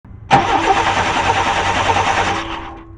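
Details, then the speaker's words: 1994 Chevy Cheyenne 2500 with 4.3 Vortec V6 that died on the interstate while towing: starter cranks evenly for about two seconds but it never fires; no spark, ignition coil suspected dead. "there's no spark very interesting so i think your coil just died"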